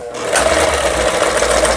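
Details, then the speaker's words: Yamata FY812 Chinese sewing machine, about 15–20 years old, after repair of seized internals: even, quick whir with steady stitch rhythm and no knocks or grinding; stitches well, though several spots still need adjustment. "손볼 곳이 여러 곳 되는데 그래도 박음질이 잘 돼서 나오니까"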